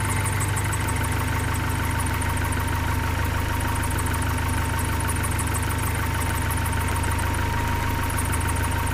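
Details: 1972 Datsun 510 with a carbureted L20B engine after its idle was adjusted, with the vacuum leak at the carburetor base repaired and the alternator replaced. Even, unchanging low rumble with a steady beat and no hunting. Idle is very stable. Normal idle.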